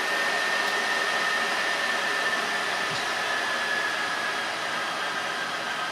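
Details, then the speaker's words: Filthy, cockroach-infested PS4 Pro after cleaning, loud under game load though nearly silent at idle; steady loud jet-engine-like roar with no pulsing; owner suspects the fan needs replacing and plans a new fan and thermal paste. "However, it literally sounds like a jet engine. I had heard that uh said about these things, but I didn't think it'd be this loud. I'm pretty sure the fan needs to be replaced."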